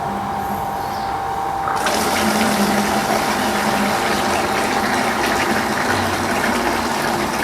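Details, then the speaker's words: Water pump drawing from a simulated well until the water runs out; with no auto-cutoff yet the pump keeps running, its flow turning to a hollow, hissy gurgle as it sucks air: pump running dry. "Perhatikan ya sekarang air sumur udah habis Tapi pompa masih jalan terus ya kenegaraan bunyinya ya"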